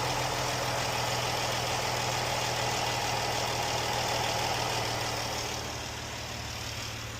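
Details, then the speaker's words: Jeep, just after rocker arm and lifter repair for ticking and a check engine code reset: smooth, steady idle with an even low hum and no top-end ticking; valvetrain quiet. "Alright, let's see. I don't hear any ticking."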